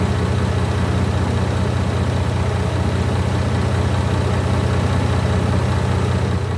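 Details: Barn-find Leyland Atlantean double-decker bus diesel, one of two stored in a barn (one since the 1990s), first run after revival. A steady, even low rumble with a regular firing beat and no knocks or misses; normal diesel idle.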